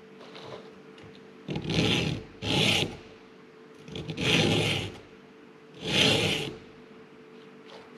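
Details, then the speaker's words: Hand filing the chain of a Stihl MS200 chainsaw: slow, even rasping strokes about a second apart, first riding on a burr then smoothing out into clean file action with no catching or chatter. "and then it's like it kind of Smooths out and you can hear that nice file action"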